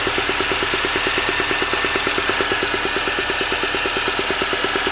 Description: It does this from cold or fully warmed up; could this be the start of cam chain tensioner problems